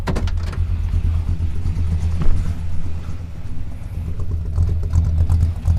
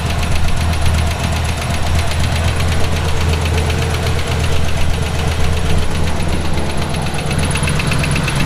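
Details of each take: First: Buick with small-block Chevy V8 and mild RV cam at idle after reconnecting the exhaust to the manifold: low, even burble with a steady beat, the exhaust leak ticking gone. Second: Route 66 Buick: a noise appeared while driving. It is a deep bottom-end knock that quickens with RPM. It is not exhaust or a lifter and seems to come from down low, so rod knock is suspected.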